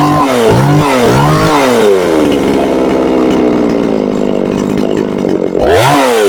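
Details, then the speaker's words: Chinese Procraft chainsaw with heavy white exhaust smoke: revs surge and sag, then settle into a ragged, misfiring idle that worsens once warm and stalls. The saw is being flooded with fuel; carburetor adjustment is suspected, cause unconfirmed. "Я думав, майстри вже догадалися, в чому проблема, по характерному білому такому вихлопу і троліт дуже сильно. Спочатку ніби добре починаєш газувати, нагріється і починає троліти."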